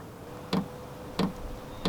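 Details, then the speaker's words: Vevor diesel heater starting up: sharp, even ticks about every two-thirds of a second as the fuel dosing pump pulses normally, fan beginning to speed up after glow plug heating (drawing about 190 watts); normal fuel pump ticking. "There's the fuel pump. You can hear that ticking away, and I can hear the fan starting to increase a little bit."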